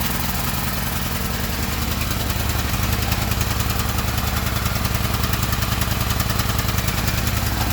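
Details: Gasoline generator's small engine chugs at a fast, steady, even beat with no misses or knocks; running normally.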